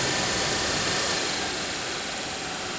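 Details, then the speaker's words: Daewoo Nexia heater blower motor after a brush repair (worn brushes had caused lost speed then failure), run at what is taken to be maximum speed: a steady rush of air over a constant motor hum, with no scraping or rattling; it runs cleanly. "и вот так вот в принципе про обороты у нас тут не повышаются я так понимаю это максимальные Ну дует вообще"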